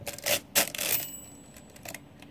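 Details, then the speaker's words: Repaired Marchant XL mechanical pinwheel calculator, carriage moved fully over and carry run off the machine: few sharp clacks then thin bell tone ringing about a second, overflow bell working. Overflow bell ringing. "that's what happens now you hear the bell ring"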